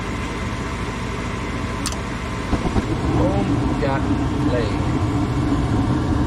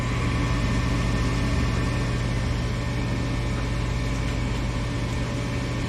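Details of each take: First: Furnace after blower motor replacement: blower kicks on fast with steady even air rush and smooth motor hum, no rattle or drone; normal blower operation. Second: Furnace blower motor with capacitor from 2018: steady low hum with a slightly rough undertone and no clean whir; worn capacitor suspected.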